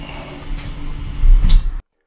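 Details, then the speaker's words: 2015 Nissan Qashqai electric parking brake: rear caliper actuator retracted with a diagnostic tool for pad replacement; loud steady low motor drone swelling near the end, stopping abruptly when fully retracted; normal EPB retraction. "don't worry you can turn off the ignition until the brake pads are replaced and then turn it on again you will hear this loud noise until it's full"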